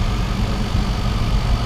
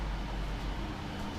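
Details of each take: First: Trotec portable air-conditioner with a rotary compressor, running in a room: steady deep drone with a heavy low hum and no clear knocks; the compressor runs louder than it should. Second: Trotec portable air conditioner, rotary compressor, running in a room in hot weather: low, steady, even hum, quiet, heard mainly from behind, getting slightly louder the longer it runs; normal running.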